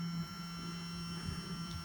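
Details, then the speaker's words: Fuel pump from a 1991 Suzuki Swift 1.6 AWD saloon, removed and run on a jump pack: steady low electric hum at constant pitch. It was seized before and now runs normally, though no fuel spurted out; a new pump is still being considered. "I just put it on the jump pack and it's working I was expecting a little bit of fuel just to spurt out"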